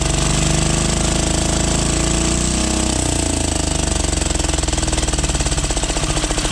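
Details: 12 HP air-cooled single-cylinder diesel, test run after overhaul; it had run once and then become hard to turn (owner suspected piston), valve clearance reset and oil added. Clattering, fast, evenly spaced beat that settles toward the end. Normal running.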